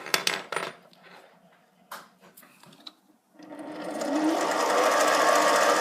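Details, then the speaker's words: HiTorque 5100 7x16 mini lathe: motor spins up with rising whine and fast steady gear chatter from the lead screw drive, normal. "Now you can hear with the lead screw in the neutral position, you don't get all the gear noise."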